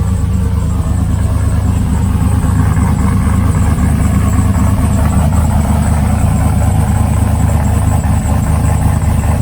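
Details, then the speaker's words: Trailblazer SS V8 after replacing the GM fuse box (crank-no-start, codes P1682, P0689, P0443): even steady idle with a deep low rumble, no misses, knocks or ticks; normal idle. "and of course you know while the engine was on i had to give you guys a little taste of what it sounds like"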